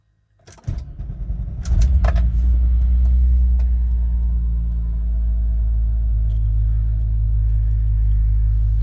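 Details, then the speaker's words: 1993 Volkswagen Corrado SLC VR6, not started for a few days, about 50 degrees out, ABS pump heard filling the accumulator first: short crank, catches fast, steady even low idle, no knocks or misses; normal cold start. "See, it's completely cold, going through the MFA. "50 degrees out, so this is technically a cold start."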